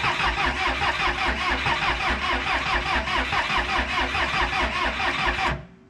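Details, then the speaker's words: 1986 Lull 644 Highlander II telehandler, sat for many years, non-running; sluggish, uneven cranking at about two to three compressions a second that never catches; batteries likely run down. "no it's it's drying now yeah it's actually [ __ ] problem is we killed our batteries i think we're just gonna have to wait it out"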